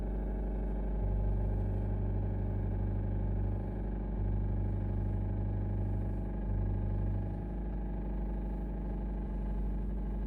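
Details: 2024 Honda CR-V Hybrid petrol engine idling on a cold start with a low uneven rattle under a steady hum. It persists after injectors and then spark plugs were replaced; the dealer calls it normal and the cause is undetermined.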